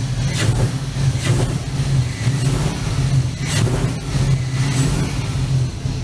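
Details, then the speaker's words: LS-swapped 1965 C-10 after replacing intake manifold gaskets to cure P0300 misfire: engine rises cleanly in repeated blips over a steady low rumble with no stumble off idle; misfires mostly solved. "There's no stumble off idle anymore."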